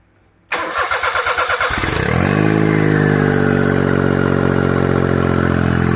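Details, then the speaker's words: Kancil with AV turbo, started with turbo cold, checking whether it still rattles; oil seen on a hose, possible leak. Short even cranking, fires and settles to smooth steady cold idle, no turbo whistle, rattle or scraping; normal cold start and idle. "Tebu tengah sejuk. Okey, kita start tebu tengah sejuk. Berasak lagi tak?"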